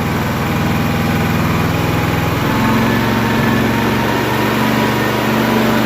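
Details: Honda EB3500X generator after carb cleaning, started on full choke and running unloaded: a steady, even hum with no hunting, surging or misses. Idles smoothly and healthy.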